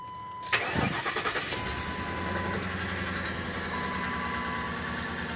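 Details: Lincoln V8, cold start before repair, codes for cylinder 7 misfire: cranks and catches unevenly with a stumbling beat, then a slightly rough cold idle; owner says it runs rough and feels sluggish driving.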